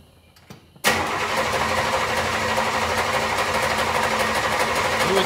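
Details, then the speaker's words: 1964 Buick Wildcat carbureted engine, sat about six days so fuel evaporated from carburetor, before installing electric priming fuel pump: starter spins steadily about three turns a second with no firing; cranks and cranks but won't start. "The reason I'm going to install one is because today's gases evaporate out of the carburetor just from the car sitting. So the car has sitten about six days and let's go to try to crank it."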